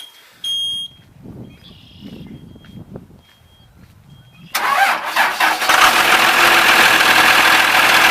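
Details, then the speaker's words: 2000 Blue Bird All American RE school bus, remanufactured 5.9 Cummins 24-valve turbo diesel, 215 HP, Allison MT-643, 176,790 miles; grid heater just fired, then a brief crank, clean catch and steady even idle without misses: normal start and idle. "it's going to show a little low because the glow plugs just are the grid heater just fired up so we'll go ahead and start this so you can hear it run"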